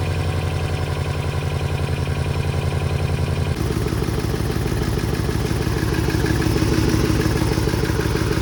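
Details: 2015 Dodge Charger Pursuit 5.7 V8 being rebuilt after a wreck, at idle: loud, steady rapid knocking about three per second rides over the engine, hard knocking, sounds like a stuck lifter hammering the valvetrain.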